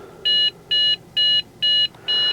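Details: Trash-picked Dell Inspiron 660S desktop: five even, high-pitched beeps, roughly two a second, over a quiet room after it shuts off and comes back on; a failed-boot POST code, later traced to a bad CMOS battery.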